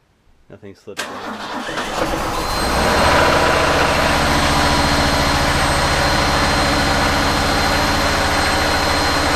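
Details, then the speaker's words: Refurbished truck finally starting after earlier no-start troubleshooting, clutch pushed in hard; a few slow cranks, catches near two seconds, settles into steady even idle; coolant not yet filled. "hey okay yeah it starts I just gotta figure out how to get the the coolant in"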